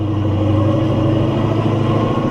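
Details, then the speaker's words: Heavy car, over 4,000 lb, with a hard-used TH400 automatic, accelerating in first gear: a steady "spaceship" whine over the engine drone under load; the owner thinks first gear is worn, not confirmed. "I think first gear is wounded. It kind of sounds like there's a spaceship in here."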